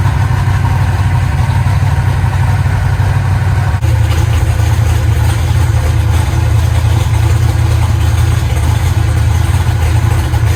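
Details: Eagle Talon rewired and converted from Pro EFI to Holley: a steady, even low rumble with no stumble or miss, the idle holding smooth on all cylinders.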